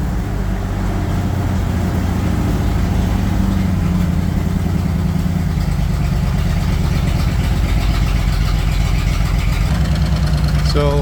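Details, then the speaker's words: Bombardier wide-gauge snow machine with about 300 hours of rebuild work, idling after throttle screw adjustment with air breather off: deep, smooth even rumble, no knocks, misses or rattles; normal idle. "again dad's uh got it all fired up sounds pretty good so far with the big Bay D big bay doors open so we don't get gassed out here like we did the other day"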